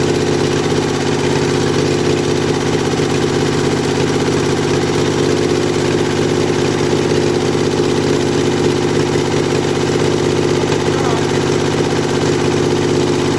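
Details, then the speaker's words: Kohler Command V-twin mower engine revived from boneyard after carburetor rebuild and starter install, running without muffler just after choking: steady even beat, bright open-exhaust bark, no knocks or misses; runs really well, normal. "i just choked it out so well she runs uh she runs pretty good runs really well"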